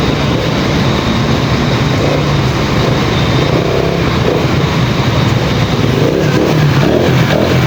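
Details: Pantra-type motorcycle with primary-type stator, previously very hard starting, now starts easily after Lihua 4-pin CDI conversion; steady smooth low drone with slight rev rise near end. Normal running.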